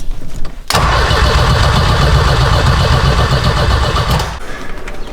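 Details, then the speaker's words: 6-speed big turbo sleeper wagon: steady starter churning about four seconds with no firing; ECU loses power while cranking, suspected switched 12V source that shuts off during key cranking. "For some reason, the ECU is turning off when I crank it. That's a new one."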